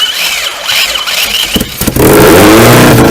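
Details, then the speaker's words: 2003 Lancer OZ Rally, first start after a 4G64 2.4 swap, throttle held open, fuel pressure regulator solenoid and coolant not yet hooked up: the engine fires, catches cleanly and revs to a steady roar with no knocks or misses. "so obviously I need my fuel pressure regulator to keep it running but other than that she runs"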